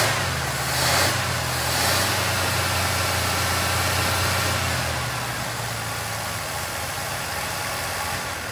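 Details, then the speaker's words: 1981 Pierre Cardin Evolution 1 with a loose distributor, running on throttle: low, uneven idle that sags and fades, lumpy and unsettled; running very rich, smoking out the shop, cause still to be chased down. "yeah it's actually staying running now but it's like poo we definitely need to chase down woo that is fat it's smoking out the shop"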